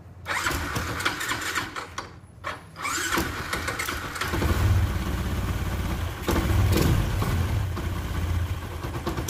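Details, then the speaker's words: Yamaha Jupiter MX bored up to 175cc with a 62mm Moto1 piston for daily touring, fresh Castrol Power One 10W-40, stock exhaust. It starts on a few cranks into a steady, lumpy idle with a deep, even single-cylinder exhaust beat; sounds healthy. "Untuk karakter mesin itu, wah gila, enak banget sih ini kayaknya. Dari suaranya tuh udah kedenger ya, cuma sayang banget knalpotnya ini, aduh, standar ting-ting."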